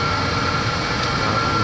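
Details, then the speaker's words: 5 kW diesel air heater in a 28 ft motorhome, turned up from setting 4 to the highest 5.5: steady, even roar with constant fan hiss and a faint whistle, no knocks or surges, quiet enough to talk over, normal running at high setting. "it's it's not so loud that it's unbearable even at the highest setting"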